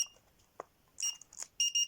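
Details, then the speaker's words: APEX GD-65A mini RC drone out of battery: short high-pitched beeps in quick pairs while lights flash, warning it is out of charge and unable to thrust. "It's running out. It's flashing. You can hear the beep, beep, and that's just telling you it's out of charge."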